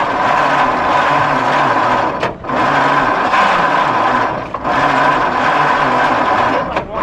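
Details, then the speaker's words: Abandoned 1953 White WC truck, first start attempt in 30+ years on a 6-volt system, starting fluid added, carburetor throttle blade stuck open: slow, laboured starter churning with uneven compression pulses and pauses; cranks but never catches. "It's just fighting the fact that it's a 6-V system. It's going to be a challenge. I'm going to give it a little shot of starting fluid. Okay. Just cuz it's turning so slow, it needs something to help it."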